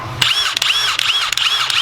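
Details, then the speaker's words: Matco Infinium 3/8" cordless impact wrench: a loud piercing whistle sweeps up and down with each hammering burst, far louder than the other guns ("sounds like a freaking train"); the distributor thinks they may all do it. "I mean, a slight whistle, but this one seriously sounds like a freaking train. So, kind of annoying."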